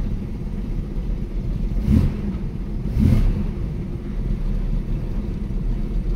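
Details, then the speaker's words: 1965 Mustang coupe, six-cylinder, revived after setting the points, plugs and timing and then adjusting the idle: a low, even rumble with two short throttle blips and no misses or knocks, settling to a smooth, normal idle. "seems much better we're soon gonna be on a six-hour journey"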